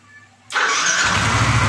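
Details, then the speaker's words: Yamaha NMAX scooter, hard to start in the morning though battery normal; after carbon brush replacement and starter motor cleaning, second start: quick strong crank that catches within a second and settles into steady idle; healthy starter. "Namun setelah kedua kalinya ini jreng Pak ya, tidak mengalami lemot untuk putaran dinamonya."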